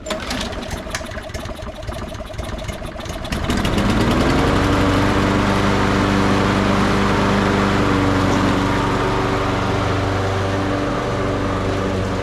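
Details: Toro 22-inch Recycler mower, Briggs and Stratton 6.75 Quantum auto choke, stored 10 years, after carburetor cleaning, oil check and new air filter; recoil cranking pulls, catches near 3.5 s, settles into a strong, even, steady run.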